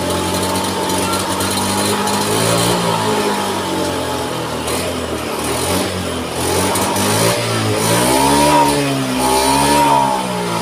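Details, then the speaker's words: Honda Scoopy scooter, new battery fitted, starts but sputters and won't rev when throttle opened; engine note wavers and stumbles; fuel pump found weak, pressure not rising to the expected 40. "Oke, dah hidup sobatku, cuman merepet, tak bisa digas."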